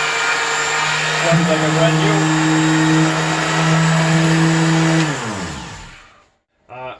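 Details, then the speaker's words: Old sheet sander that had jammed, running with its sanding pad removed: smooth steady hum that spins up evenly, holds constant speed, then winds down cleanly, showing the motor is fine and the fault lies in the pad. "now it's spinning very well so we know the problem is on the pad and not with the motor"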